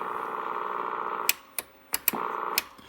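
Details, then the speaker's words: Drake R4B receiver calibration board: steady low buzzing tone while the square-wave calibrator runs, cut off by switch clicks; AC ripple from a failing 1000 µF filter capacitor, and jumping another capacitor across it should improve the sound. "my calibration board has some really awful uh sound to it i turn it on the square wave generator is getting some ac into it so you can hear that when i turn this calibration on that is what i hear"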